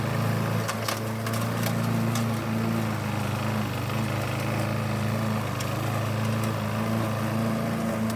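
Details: 1988 Alco push mower, Briggs and Stratton auto-choke engine, repaired from non-start (diaphragm, a common issue), cutting with the old blunt blade: constant engine note with sharp ticks of debris hitting the blade, engine steady; normal running.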